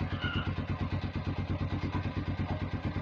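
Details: Vperman 150 single-cylinder motorcycle, started in first gear with clutch squeezed via clutch switch: an even, quick putter holds steady for three seconds, then stops cleanly; engine starts and runs healthy.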